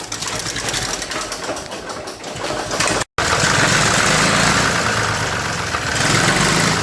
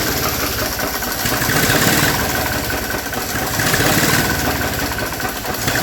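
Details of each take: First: 1961 Nuffield Universal 3 tractor in for a head gasket job, run only seconds with no coolant: given throttle, engine speed swells and fades instead of holding steady, a surge it had on arrival; suspected old age, may even out under load. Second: 1961 Nuffield Universal 3 tractor after head gasket job, coolant added, restarted to check for cooling-system bubbles: steady low diesel chug at idle, even beat, no misses or knocks; no bubbles, engine healthy.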